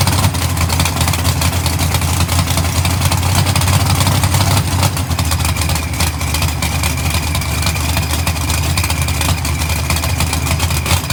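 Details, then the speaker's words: GTO V8 being tuned: a deep, loping rumble sitting low and lumpy that smooths slightly as the throttle blade is opened for more air. Idle is set too low and needs raising. "all right so now i'm actually getting that rpm to go up a little bit more on the idle speed we definitely need to add some more to it"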